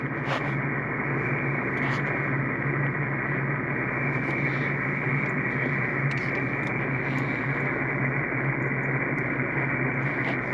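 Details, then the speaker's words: Toyota Tacoma truck causing S9-plus RF noise on a radio receiver: constant hiss and buzz with low steady hum while running, ground reconnected; noise disappears when truck is turned off, grounding made no difference, source still unknown. "ground's connected again tons of noise turn the truck off and the noise is gone"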